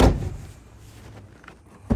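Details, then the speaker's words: Toyota Tundra/Sequoia door after the fix: it unlatches and swings open quietly, ending in a soft thunk with no squeak, after the two door stop nuts were tightened. "So there you go. It's as quiet as it was 13 years ago when we bought this vehicle."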